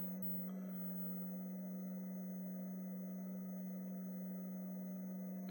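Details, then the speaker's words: Galaga arcade PCB with CPU board reset loop, sound CPU removed from the board: flat steady low buzzing boot tone, different from normal, then halts at RAM. Abnormal boot tone, sound CPU removed. "you can see that the tone or you can hear the tone is a little bit different that the PCB is putting out. And then it stops at RAM."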